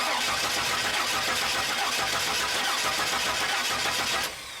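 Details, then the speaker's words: 2002 Chevy Silverado 4.3L distributor engine, died after being driven across a field: starter cranks steadily and evenly for about four seconds but it never fires. Spark tester shows no spark, so the fault is in the ignition system. "so as you can see we don't have any spark at this spark tester so i hope you guys can see this"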